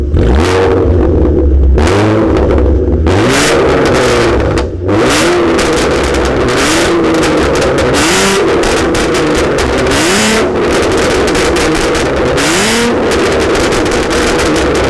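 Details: Catless V6 Ford Mustang with straight pipes, running a 93 octane tune on 93 fuel (owner unsure whether it runs rich): harsh raspy exhaust climbing through repeated revs, with sharp pops and crackles on each lift-off but no flames. Backfire without cats, possibly from rich running.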